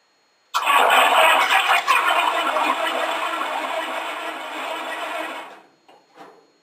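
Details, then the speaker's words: 1953 Cadillac V8 in a homemade rat rod: about five seconds of even cranking, roughly three turns a second, with a faint sputter but no catch. Six-volt battery couldn't spin it fast enough. "I think she's just gonna start a new moment we've been doing that little sputter turn over where she goes"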